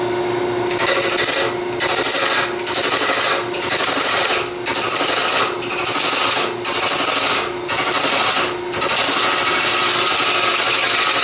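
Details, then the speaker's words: Woodturning lathe with a bowl gouge cutting soft pine: harsh rasping cut over a steady hum, breaking off about once a second; the gouge chatters a good bit but cuts easily. "that was just the soft Pine and you hear it Chatters a good bit but it cuts in there fairly easy with this"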